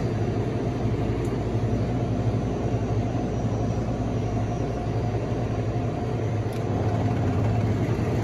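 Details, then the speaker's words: Electrofreeze soft serve machine during tune-up, left-side mix pump running at 6 psi until satisfied: steady low hum, no knocking or grinding; pump system proper, reading 43, air bleeding back as the duckbill is missing. "So it's at 6. It's running. Wait. See if I'm satisfied. Okay, pump satisfied."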